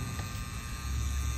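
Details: Air-conditioning outdoor unit with the motor not running: a steady low electrical hum with a faint buzz from the energized contactor or start relay, cause suspected. The contactor was then replaced, and the hard-start capacitor was found leaking.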